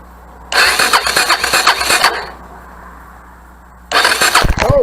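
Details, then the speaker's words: Salvage-yard Suzuki DRZ 250 on a jumper pack: two bursts of quick, even starter cranking with only faint scattered pops; it turns over great but fires very weakly, with a little rust on the spark plug, probably from sitting. "but it turns over great and then it is firing very low"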